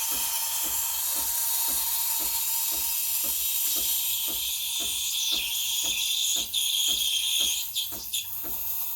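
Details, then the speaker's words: Breville Barista Express BES870 steam wand aerating milk with tip near the surface while spinning the milk: steady high hiss like tearing paper with faint regular chirps; correct milk steaming sound. "there we go you want to hear that hissing sound almost like you're tearing a piece of paper"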